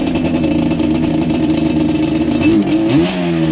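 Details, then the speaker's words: Yamaha Banshee ATV, slightly warmed up, customer complaint of low-end bog and sputter: a choppy idle, then the note sags and stumbles off idle before climbing. It runs slightly better at higher rpm, with some type of miss heard. "All right, guys, so the customer did state that this Yamaha Banshee has some sort of low-end BOG and kind of sputters and does this weird, crazy thing off of idle."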